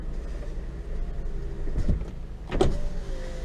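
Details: 2000 Honda Accord EX after window regulator replacement, original motor kept: short steady motor hum with clean stop, no grinding or clicking; power window working normally.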